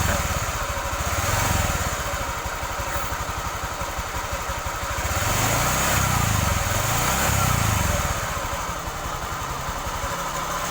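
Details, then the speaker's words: Honda Vario scooter engine with a worn crankshaft bearing runs rough with a loud, harsh hissing whine like a jet, swelling as it's revved, before the engine is removed and split. "oke teman-teman itu tadi ya suaranya untuk kerusakan laher kruk as itu sangat kemrengseng sekali seperti suaranya kapal jet ya teman-teman"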